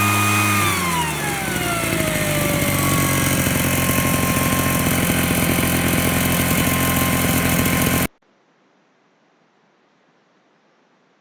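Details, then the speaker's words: Invatech Italia model 868 Mister Duster two-stroke blower, first run after priming and choked start: revs drop after start, then steady even chainsaw-like buzz for several seconds before shutoff; runs healthy. "Okay, you've probably picked up. It's about as noisy as a chainsaw, and we have a lot of chainsaws around here, so no one's complaining."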